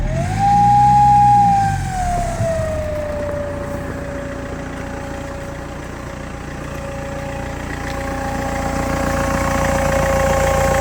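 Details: BMW E90 M Sport, 94k: sudden power loss while driving with a whistle rising and falling with revs and smoke from the exhaust; owner suspects turbo failure, not confirmed.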